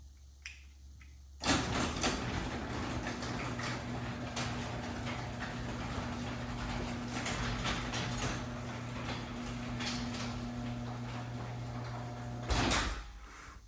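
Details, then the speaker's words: LiftMaster 8557 Elite Series 3/4 hp AC-motor belt-drive opener with MVIS on a 16x7 CHI 5283 door: smooth, even low hum and steady belt whir for about eleven seconds with no clicks or grinding; normal quiet operation. "But, being it has MVIS, it's nice and quiet."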